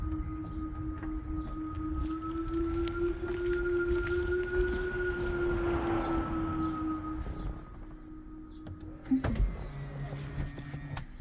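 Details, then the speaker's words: Tesla Model 3 after replacing the external pedestrian warning speaker (fault: "Audio System Unavailable" notification, no whirring in reverse): notification gone, and in reverse a smooth, steady synthetic hum with gently rising and falling pitch. Normal pedestrian warning sound. "okay that notification is now gone and when we put in reverse can now hear that woring sound"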